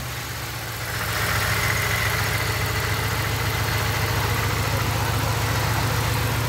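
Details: 2006 Pontiac Grand Prix base model after a top swap with rebuilt heads (all six exhaust valve seals replaced) and all six plugs now NGK TR55 iridium, including a replacement for one that broke: the engine catches and settles into an even, steady idle with no stumble, sounding better and healthy.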